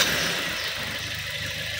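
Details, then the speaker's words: 2016 Suzuki Ertiga manual that won't shift gears with engine running (fine with engine off): rough, gritty noise as clutch is pressed with engine running; clutch disc stuck, after the car drove through floodwater, fixed with clutch set replacement. "Entar Bro coba ngopling bro injak kopling kopling injak nah kasar suaranya"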